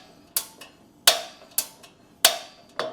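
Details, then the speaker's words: Blackstone Culinary 17-inch tabletop griddle after tightening a loose igniter screw to restore the gap, propane bottle on, gas flowing: sharp single clicks about once a second, no flame whoosh; spark seems too weak, though it later lit. "don't know. Doesn't seem like that spark is strong enough."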